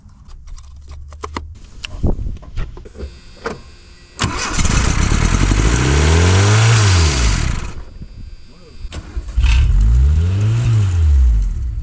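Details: 1982 Dodge Charger 2.2, unregistered since 1990, dead cold: fires after a few cranking clicks, immediately revs to about 4000 rpm and falls back twice instead of settling, radiator fan switching on; cause unknown.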